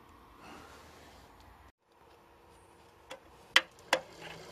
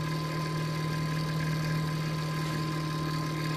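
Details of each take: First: Tiny Computers Pentium 3 450 Windows 98 PC: the power supply fan, first stuck and not spinning (possibly clogged with dust), now spins up freely. Low steady hum with an airy rush building over a few seconds; normal fan running. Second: Noisy CPU cooler fan in a late-1990s Tiny Pentium III 450 Windows 98 PC on the bench: steady drone with a constant low hum and thin whine on top.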